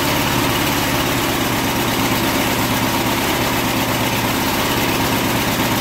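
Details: Small single-cylinder mower engine lubricated with car wax instead of oil, in a 10-minute run: a steady, slightly uneven idle, still holding speed; it completed the test, with hardened wax suspected in the piston rings.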